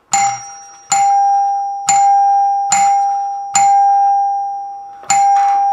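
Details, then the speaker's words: 1955 NuTone K14 recessed door chime, wire moved from front to rear terminal for single back-door note: six clean single strikes about a second apart, decaying evenly; plunger rebounds close to bar without hitting; healthy. "if we move the wire from the front terminal to the rear we can get a single note for the back door it's the milk delivery guy"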